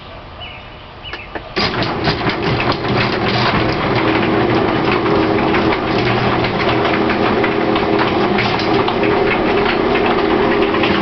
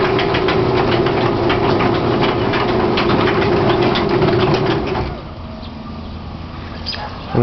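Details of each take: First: Garage door with new springs and cables, smooth going up: opener drones about ten seconds with rattling jolts as the door travels down, shaking near the top and catching in the middle, then stops; door shudders when closing. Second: Chain-drive garage door opener raising the door: steady, even motor hum and smooth chain drone, with no shudder. Normal on the way up; the door shakes and catches only when going down.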